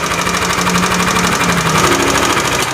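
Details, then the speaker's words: Yamaha Aerox scooter with rough engine noise: fast, rough metallic ticking that follows revs, same at idle and when revved; likely loose valve clearance or worn rocker arm bearing, cam chain tensioner also to be checked. "untuk mengatasi kayak gini sebenernya simple Bang kalau untuk mengatasi suara kletek-kletek kayak gini itu bisa jadi dari Hai di sininya nih setelan klep nya renggang ataupun bisa juga dari rocker arm nya itu biasanya mengalami oblak ya biasanya yang keseringan"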